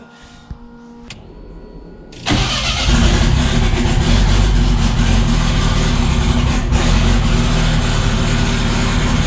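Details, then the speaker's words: Rebuilt 500 hp 2.3 on its first runs after a heat cycle, on mixed 87 and Q16 fuel, with oil pressure good and a water fitting leak: a short crank, it fires at two seconds, then a deep, even idle; runs smooth. "it runs pretty smooth"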